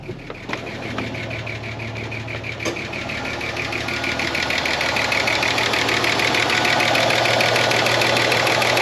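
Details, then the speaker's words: 30-year-old Ford Falcon six revived from a paddock, warming up at idle: steady light ticking about 200 per minute as idle slowly rises, plus another small tick creeping in; owner suspects lifter tick. "There's another little ticking noise creeping in there too."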